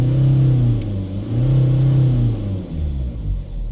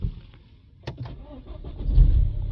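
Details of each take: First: BMW 320d diesel after turbo failure, new turbo and new cam chain fitted, blocked DPF; restarted after clearing codes and resetting DPF values: low, even rumble with slight rise and fall, no knock or rattle, normal idle. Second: BMW 320d after a DPF clean following turbo failure, with a new cam chain fitted: quiet, slow cranking for about two seconds, then it catches into a rough idle. Hard starting, with a new camshaft sensor signal fault logged.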